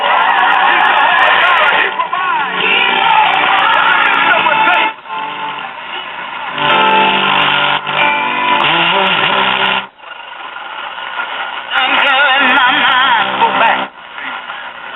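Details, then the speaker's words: Silvertone model 5 tube radio after replacing bad tubes and defective mica capacitors in both IF transformers: music plays without static but thin, harsh, bassless and buzzy on loud passages; original speaker defective, sounds terrible, needs replacing. "And we're playing again with no static. However, the speaker sounds like total crap, and that will have to be addressed."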